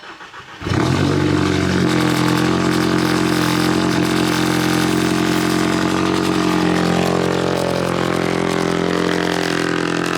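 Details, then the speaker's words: MK6 Jetta GLI with a newly fitted catless CTS downpipe, cold start: engine fires and holds a loud, deep, steady drone at fast idle that settles to a manageable level once warm; catalyst fault code set. "oh it appears to only do that on cold start and then it gets to a manageable amount"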